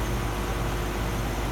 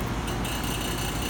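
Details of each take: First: Residential HVAC system restarted after pump-down with service valves reopened: even compressor hum with a steady fan rush, no knocks, rattles or cycling; running normally, superheat and subcooling to be checked. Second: Residential HVAC system during pump-down, low pressure switch held in, vapor line pressure nearly bottomed: loud steady low rumble with rough uneven churn, compressor laboring; acceptable briefly, not often.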